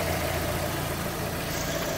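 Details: Brazilian shop, Fiat Palio after a thorough service with engine washed, new engine mount, timing and accessory belts and clutch replaced: first start settles into a low, smooth, even idle with no knocks, rattles or hunting; the engine idles healthily.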